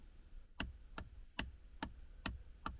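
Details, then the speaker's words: Range Rover Sport L494 gear selector knob, inside the cabin: the release button gives six crisp, light clicks about 0.4 seconds apart; an audible click means the button's plastic fork is intact, while a broken fork probably gives no click and no gear selection. "but when you if you've got this problem when you press this button listen you can hear a little click click"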